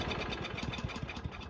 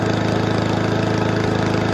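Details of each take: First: Toro commercial 22295 mower with Honda commercial engine, stored all winter, no start on full choke: after a squirt of brake cleaner, quiet uneven chugging about eight beats a second that fades and stalls; suspected carburetor or old fuel in bowl. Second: Toro commercial 22295 mower with Honda commercial engine, no-start after winter storage due to old stale fuel in carburetor; after fix it runs smooth and even at steady speed, no misfire, then shuts off and winds down cleanly.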